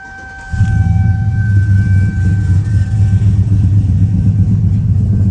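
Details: Finished Chevy Silverado 1500 5.3L with Chopacabra cam, Speed Engineering long tubes and full 3-inch single exhaust, tune at 23 degrees timing: fires instantly into deep loud steady burble, even beat, no misses or knocks; normal start and idle.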